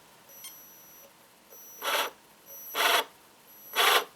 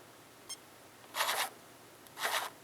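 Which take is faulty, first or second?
first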